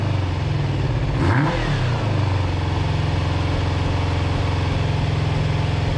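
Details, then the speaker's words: Kawasaki GPz400R track bike, four-cylinder, carbs, old fuel, first start: lumpy uneven idle after a short blip; owner suspects misfire, possibly HT leads wrong way round; fuel dripping from carb bottom, cause unconfirmed. "do you think that's a misfire do you think i've got maybe the htc laser on the wrong way around i mean it fired up a lot easier than i was expecting it to"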